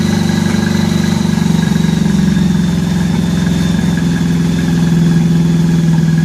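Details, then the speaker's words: 1983 Honda Gold Wing flat-four after new head gaskets and fresh spark plugs, coolant added, warming up. Steady, even low idle with a smooth regular beat and no skips, firing on all cylinders: normal idle. "I got two coolant in it so still cautiously optimistic now getting coolant in it and stuff kind of okay so now we just need to run it to warm it up good and cautiously optimistic"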